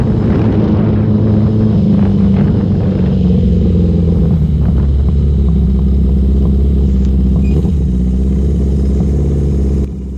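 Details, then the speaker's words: Newly finished Yamaha XJ650 build on first test ride, engine not yet run in: lumpy, uneven low-rpm running that settles into a steady drone; owner suspects running rich with idle too high, runs well from about 4,000 rpm up; needs tuning. "i'm not sure if you can hear it but down low it's got a bit of a misfire not a misfire it's just not running properly i think it's running rich and the idle's too high"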